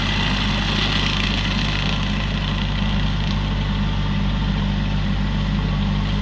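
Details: Used 2018 Woodland Mills WG24 3-point stump grinder on the tractor PTO, rated 540, grinding a beech stump about 30 by 24 inches: a steady deep tractor drone holds under load over an even, rough cutting hiss; works well, though a couple of teeth may be dull.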